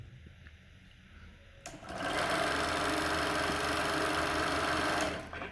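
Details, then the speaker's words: Arriflex 35mm film camera running after loading and threading film: smooth even motor whir with fine steady flutter, no rattle or grinding; threaded correctly. "sounds good so let's see it running through the mag as I open up so now let's turn it on it's a little noisy but and that's your roll out okay so it sounds pretty good"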